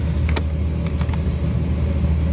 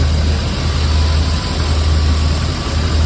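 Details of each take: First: 1995 BMW 540i E34 V8 after engine refresh (valley pan, valve cover gaskets, seals, plugs), almost no fuel in tank: low uneven rumble with sharp ticks right after start, rough idle; owner suspects lack of fuel. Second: 1995 BMW 540i E34 V8 after an engine refresh with new seals, plugs, valve cover and intake gaskets and a valley pan; an odd idle was traced to swapped throttle body and ASC sensors. Deep, even, steady idle with no misses: normal idle.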